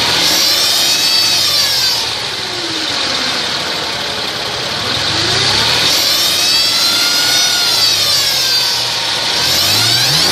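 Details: 2002 Mercedes ML320: high whine under the car rising and falling with engine rpm as it revs and settles; source not pinned down, cause unknown.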